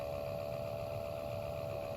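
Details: 2013 Toyota Prius C cabin blower motor, nothing found stuck inside, before replacement with new motor assembly: steady fairly high hum with a low rumble underneath; noisy blower motor.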